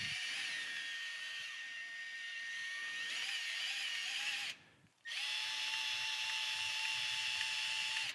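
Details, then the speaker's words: Milwaukee cordless sub-compact band saw running with its cover open: high motor whine with a faint scratchy rasp, a rubbing sound traced to one band wheel, the other one rather than the first suspected. "some some scratching it sounds like it's coming from this wheel here see if I can bring close to the mic so you guys can hear it it's actually coming from this other one"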